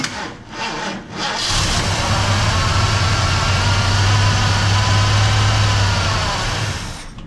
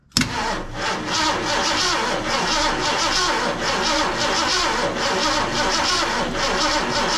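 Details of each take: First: Mercury XR7 wrecked and parked in a shed for 20 years, first start: catches after a brief crank and settles into a steady, even run with no knocks or misses; sounds healthy. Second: Mercury XR7, wrecked and parked 20 years, gas poured in; starter churns engine at a slow even beat for several seconds, no firing, owner thinks the ignition key was not switched on; cranks but no start.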